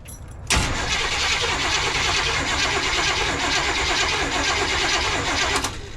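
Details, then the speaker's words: 1986 Chevy G20 van, sitting for 5 years, first start attempt: steady, even cranking for about five seconds with no firing. There is power at the wire but no spark at the plug. "Okay, we are not getting spark there."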